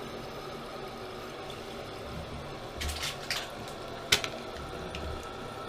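Steady rush of water filling a toilet tank quickly and evenly, with a few clicks of handling.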